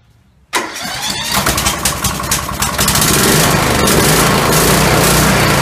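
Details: Kohler Courage SV540 20hp single-cylinder tractor engine, over a thousand hours with valves never adjusted, previously wouldn't start despite good spark, new carburetor, plug and fuel filter; started with valve cover refitted, brief cranking then catches at once and runs evenly.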